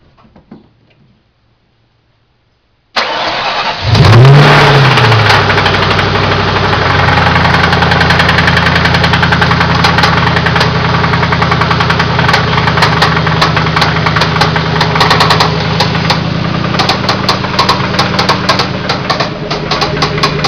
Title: spun bearing.AVI